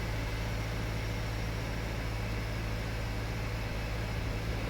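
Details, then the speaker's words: 2014 Subaru Forester XT FA20DIT, first start after new spark plugs: steady, even idle with a smooth low hum, no ticks or knocks; engine sounds healthy. "so the car's making some noises everything looks good sounds good"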